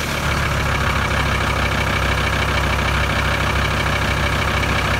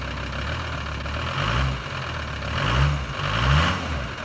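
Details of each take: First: VW 2.5 TDI van (ACV/AJT engine) right after the diesel pump timing was set to 0.55 and the cam pulley bolt re-torqued. Steady, even diesel clatter with no misses for six seconds, then a clean shutdown: timing confirmed spot on. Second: VW 2.5 TDI van (ACV/AJT engine), cold start after about three weeks parked with a puff of white smoke. Uneven idle with a lumpy knock that swells and fades every second or so. The owner suspects pump timing or injectors; unconfirmed.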